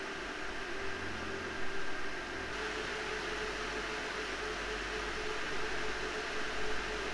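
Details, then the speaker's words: PowerColor Radeon RX 7900 GRE Fighter graphics card cooling fans: smooth, quiet rush of air with no rattle or grinding, though a slight metallic sound is noted; normal fan noise. "El sonido del viento es silencioso, pero es un poco decepcionante escuchar el sonido del metal."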